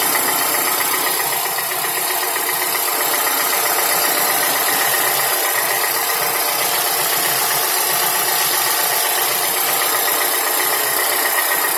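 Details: Toyota Camry 55 2AR-FE, warm engine at idle: fast, fairly even light knock, roughly four per second, over engine clatter; source unclear, dealer found nothing, rod knock ruled out, chain checked by owner.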